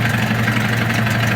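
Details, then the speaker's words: Low-hour, freshwater, fully serviced Johnson 9.9hp outboard, rope start with remote controls: very low, smooth idle, steady hum with an even beat and no misses or knocks. Normal idle. "idle's very low, very smooth."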